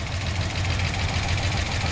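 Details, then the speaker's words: 1966 Dodge Coronet, 318 Poly V8 at cold idle: light, quick tapping over low rumble, keeping time with engine speed; valvetrain rocker or lifter tick, owner thinks solid lifters with adjustable rockers, cause unconfirmed. "i got some rocker noise but or lifter noise whatever that is but honestly are these solid i think these qualities are solid solid lifters"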